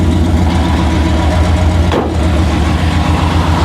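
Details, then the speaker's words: 1959 Rambler American, roughly 1000hp, on its first start and smoking: loud, lumpy big-cam V8 idle with a loose metallic rattle in the exhaust. "the exhaust makes some rattling noises ignore it"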